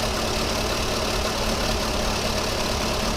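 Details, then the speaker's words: VW Polo 1.4 16-valve, cold engine, idling uneven and lumpy with irregular stumbles under a hiss. Hydrocarbons read 5,600 ppm, suggesting a fueling issue; the ECU was originally booked for replacement. "because we're running on a cold engine obviously it's it's happy to run with a bit of excess fuel but there hydrocarbons at 5,600 are our first indication that we' probably got a fueling issue with this car"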